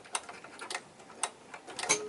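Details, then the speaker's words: Firus vehicle, during turn-signal wiring work: a small black relay for the hazard (emergency) lights clicks sharply and crisply about every half second to second with no hum, cycling normally. "this little black box that is the relay for the park anywhere lights"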